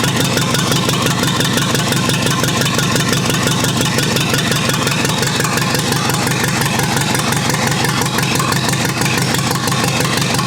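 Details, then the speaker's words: Rebuilt U23 engine, first start after 25 years, idle mixture screw about two turns out: uneven, lumpy idle stumbling about three beats a second; carburetor not supplying enough fuel at idle. "all right so i still need to work a bit on the cobra to make sure that it has sufficient gas on idle because it doesn't for the moment"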